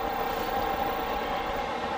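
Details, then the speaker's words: Newly installed diesel heater in a skoolie school bus conversion, running after fire-up with a steady, even whoosh and constant mid-pitched hum, no surging or ticking; blowing out a lot of heat; normal running. "You can hear it going a little faster. Wait for it, the jet's about to take off. It gets worse."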